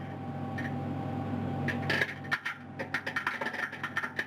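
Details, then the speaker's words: Bigelow Expandable Activity Module (BEAM) on ISS expanding under air bursts: sharp irregular pops over steady cabin hum, the expected rip-stitch restraint straps tearing inside the module, a normal sign of expansion. "you can hear the popping noises coming from inside beam that again good noises is that's the the rip stitching going throughout the module just indicating that we are once again expanding"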